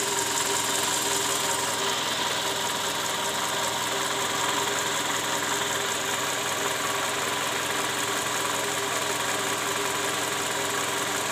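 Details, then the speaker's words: Toyota Camry with 2JZ engine idling rough, heard from below near the oil pan: uneven knocking clatter over steady hum from worn, scored balancer shaft and bearings, likely from improper installation and under-torqued bolts. "nah disini terdengar bunyi keras terutama di bagian Karter oli mesin"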